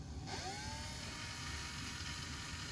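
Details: 1984 Sharp VC-498C VCR in plain rewind, which works although rewind scan does not: a smooth whir spins up in the first half second, then holds an even pitch; the tape transport is rewinding normally.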